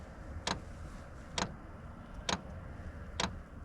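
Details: Diesel heater running at about level 4 (of H6) while camping with a Jeep Gladiator: sharp, even ticks about once a second over a low steady hum, the fuel pump dosing normally while it runs.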